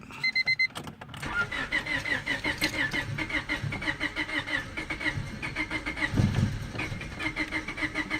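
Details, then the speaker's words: 1999 Honda Civic LX, also overheating, intake not connected: starter spins engine in quick even pulses for several seconds, almost catches but won't start. "You see how it's going? Now if I stop it, because it's not even coming on, but the radio and everything works, try again. See how it almost catches on?"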